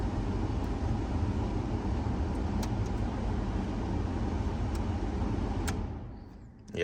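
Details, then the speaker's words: 1992 Ford F-150 Flareside after blower motor replacement (old one noisy, worse over bumps and at shutoff): steady low fan rush with no squeal or rattle, winds down quietly at shutoff; normal blower operation. "it doesn't make that noise when it turns off anymore so that definitely fixed our problem"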